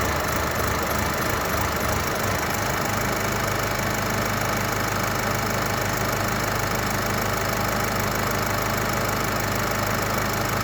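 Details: 2022 Mercedes CLA 200d (C118), OM654 diesel, cold start: after about one minute idling, uneven stumbling idle with irregular knocks roughly three per second and shaking; engine misfiring.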